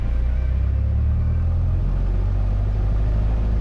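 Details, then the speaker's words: Cessna 172 after a carburetor install and oil change, warmed up from a normal cold start: deep, steady drone held at 1700 rpm during the run-up with no miss or surging. Everything is running good. "everything's running good"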